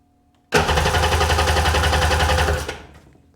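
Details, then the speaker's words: Sea-Doo GTX DI 951 with rebuilt engine, plugs refitted: steady starter churning at roughly 3.5 turns a second that never catches. Crank, no start. "If I dump a little bit of fuel in the engine, it'll fire."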